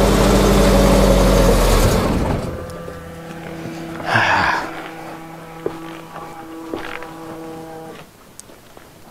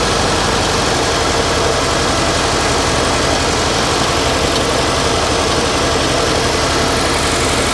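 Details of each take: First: 1989 Winnebago LeSharo RV, abandoned, little fuel added, fuel pump left on: engine catches, runs rough a couple of seconds then sags and dies; owner suspected MAP or speed sensor or low fuel. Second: 1989 Winnebago LeSharo RV after vacuum leak repair: loud, steady petrol idle with an even beat and no hiss or whistle; normal idle, though idle bypass valve may have been turned down too far.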